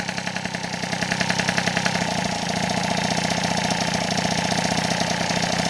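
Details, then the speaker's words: Rebuilt 70cc Transval T3/T5 moped two-stroke engine, first run after repair: steady buzzy idle with fast even pulse, no hunting or misfire; stable revs mean no air leak. "plus voilà le régime est stable ça c'est cool ça veut dire qu'il y a pas de prise d'air"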